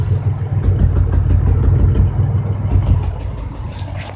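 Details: 2005 Impala 3800 V6 lumpy stumbling idle, about three uneven pulses a second; misfire with P0305 code, persisting after replacing #5 spark plug, wire and injector, cause unknown.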